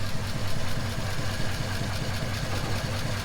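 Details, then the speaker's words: 1939 Ford Deluxe sedan flathead V8 idling after sitting for years, fuel stabilizer added, temperature at 160, not overheating: smooth, even low burble with steady pulse, nothing missing or tapping; normal healthy idle. "Well, that is one running Flathead. I'm glad I put fuel stabilizer in it. Seems to be running like a top too. Not overheating. Sounds healthy."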